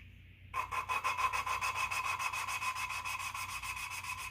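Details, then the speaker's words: Cylinder head valve from a 1991 Mopar 360LA roller cam small block being lapped by hand with liquid wrench; quick back-and-forth rasping strokes whose gritty ringing tone changes as the valve beds into its seat. "and if i don't know if you can hear it but you can hear the difference in tone as it's grinding itself down"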